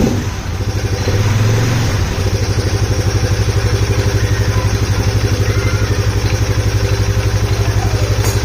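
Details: Polaris Sportsman 570 single, oil topped up with T4, airbox lid off: idle thumping about four beats a second with loud intake huffing and slight smoke; owner unsure if normal or due to missing lid.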